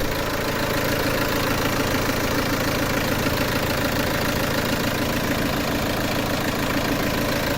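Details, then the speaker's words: Peugeot 307 2.0 HDI diesel, fault codes P1112 and P0204 (TDC/crank sensor suspected), after restart with no leaks; steady even diesel clatter at idle, no misses or surging; normal diesel idle. "Donc j'ai mis de la 540 comme ça ça tourne mieux. On l'entend bien bruit moteur. Ça tourne mieux marin."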